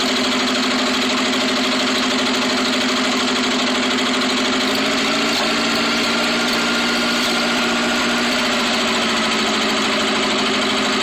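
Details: Rebuilt Atomic 4 engine at idle: a steady idle with a faint uneven beat and a slight stumble midway, like a cylinder dropping out; misfire after the rebuild.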